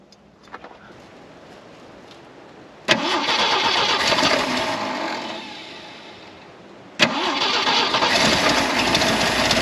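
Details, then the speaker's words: 1973 Jeep CJ5, off the road 16 years: the engine surges, sags and fades, is restarted and stays rough; something major is wrong with the carburetor, and another carburetor may be needed. "Clearly we're getting into whatever issue they had going on. Maybe we just need another carburetor."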